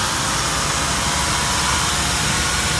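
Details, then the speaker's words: Ford Police Explorer, Florida Keys hurricane car with clean oil and a new coil pack, idling unevenly: constant hiss with a thin high whistle over an unsteady idle; owner suspects a vacuum leak. "I have to imagine it's a vacuum leak of some sort."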